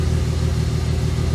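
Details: BMW E36 325i that lost cylinder one on track, idling after camshaft position sensor replacement with smoke and burnt-fuel smell: rhythmic stumble with regular dips instead of a smooth beat; the new sensor did not fix the engine misfire.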